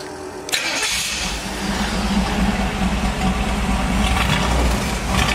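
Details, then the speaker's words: Willys gasser with a stock engine built as a street driver that doesn't run hot. Short crank, then a steady, even, fairly loud idle with no knocks or misses. Normal start and idle. "and you can hear how it uh runs the engine as a stock engine i didn't want to spend a ton of money on putting a three to a ten thousand dollar engine in it this way you can drive it on the street it doesn't run hot it's just a nice driver"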